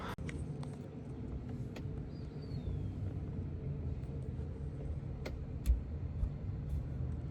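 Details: Turbo LS Fox-body Mustang first start after new AN fuel lines and a fuel pump wired directly to power; low steady rumble with even firing, a few light clicks, no knocks or misses; normal running.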